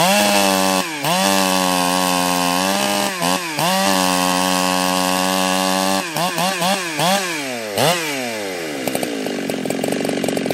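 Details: Husqvarna 365 Special chainsaw built up with a 52mm top end, around its third heat cycle, with a changed carb that is still hard to tune: strong high-pitched scream dipping under each cut and climbing straight back, clean throughout; normal running under load.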